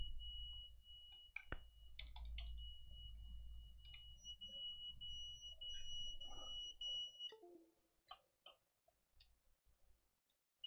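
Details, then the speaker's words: Quadcopter flight controller on Betaflight 4.0 with a newly fitted beeper: a steady, loud high-pitched warning tone droning under desk clicks, caused by low power. "hopefully you don't hear the beeping so much but that is due to a low power"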